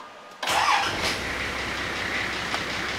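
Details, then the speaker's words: Nissan GQ Patrol TD42 diesel, previously hard to start in cold weather, started cold after cleaning corroded battery terminals and glow plug work: catches quickly and settles to a smooth, even idle with no stumble. "oh that sounds H better a that is such a relief starts up idles nice and smooth now I'm happy with that"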